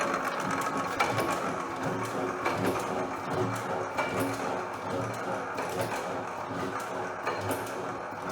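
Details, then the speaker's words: Hercules 12HP hit and miss engine, first cold startup of the season, running slightly fast until warmed; slow uneven firing beats with mechanical clatter between as governor flyweights lock out intake until speed drops; normal cold running. "thing is very soothing to me i could just sit here when it gets warmed up a little bit more it will run a little bit slower right now it's cold this is actually the first startup i've had this season"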